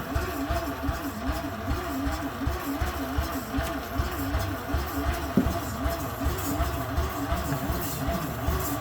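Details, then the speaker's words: Mazda FB RX-7 (rotary, carbureted) cranking on a fresh battery, with the gauge barely reading; old battery suspected of a bad cell: slow starter with a wavering drone that sags each turn; weak cranking, cause unconfirmed. "Fresh battery in it. Go ahead and crank it. It's just barely reading. It's not giving me nothing."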